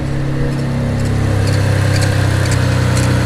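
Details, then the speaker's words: Mitsubishi 3000GT VR4 with rebuilt engine and cheap new pulleys, alternator off: low idle with a sharp chirp about twice a second, an initial startup squeak from the water pump at the middle of the car; owner suspects idler or tensioner pulley for a separate hum. "that's definitely my water pump that's in that initial squeak noise coming right from the middle of the car"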